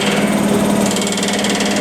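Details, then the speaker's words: Fill-station air compressor starting from 0 PSI with oil pressure and interstage gauges climbing, then discharge rising: steady low drone with slight high hiss, squeaky ticking from plumbing pressurizing; no knocking or grinding, normal startup. "You can probably hear some squeaky ticking and that's just the plumbing as the air starts going from 0 PSI and working its way up."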